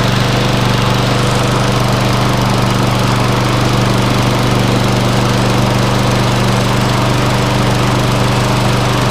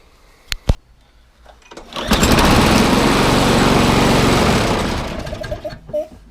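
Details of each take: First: Viking MB545VR lawnmower, Briggs & Stratton engine after bent crankshaft replaced with one from a 19-year-old Hayter Harrier donor: steady, even single-cylinder drone with no knocks or misses; runs smoothly. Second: Viking MB545VR lawnmower with Briggs & Stratton engine: runs loud, harsh and shaky for a few seconds then dies; bent crankshaft, replaced with one from a 19-year-old Hayter Harrier donor engine.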